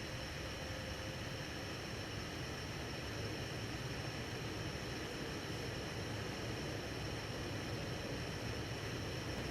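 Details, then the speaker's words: 52-inch Hunter Original ceiling fan #23855 from April 1995, heavy-duty motor, on medium at about 150 RPM: a steady, even rush of air with a low soft hum and no ticking, wobble or rubbing; running normally, almost sounding like high. "Medium's going to run about 150 RPM, so it is sped up a little bit on medium. Almost sounds like it's on high."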